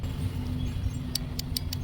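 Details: BMW E30 fuel injector removed for cleaning, bench-powered with 12 volts: crisp bright ticks about six per second over low drone, injector snapping open cleanly; normal injector clicking.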